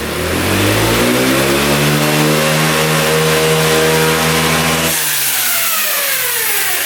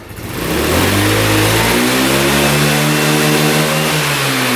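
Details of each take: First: Free scooter engine after carb repair, revving out: revs cleanly and climbs, then suddenly collapses into a rough rattling clatter; kickstart mechanism broke apart inside, loose kickstart parts. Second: Free scooter engine after carb clean and valve adjustment catches and revs up smoothly, pitch climbing evenly with no stumble or bog. Healthy revving, shortly before something broke.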